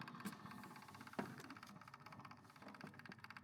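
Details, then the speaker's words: Chevy Equinox with an EVAP code, purge solenoid commanded via scan tool actuator test: faint steady ticking about once a second over a quiet engine hum; solenoid responds and clicks when commanded. "EVAP purge solenoid. So, we can do increase. We hear it."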